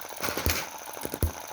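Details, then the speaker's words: Cheap Chinese M19/EM2 hit-and-miss engine, one month old, carb inlet reduced with metal putty: sharp firing pops among light coasting ticks. Normal, even hit-and-miss running after tuning, with less smoke than before. "now that i've got it running really well well it's my beautiful little star again."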